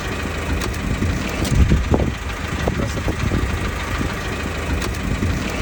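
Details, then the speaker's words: Diesel car, clutch engaged then disengaged: rough idle with heavy, irregular knocks and bangs, strongest in the first seconds, a violent crash; vacuum pump suspected, but replacing it did not solve it, cause unclear. "En gros, je suis arrivé au travail et je sors de la voiture et là, j'entends un gros crash. Là, je suis embrayé. Là, je débraye."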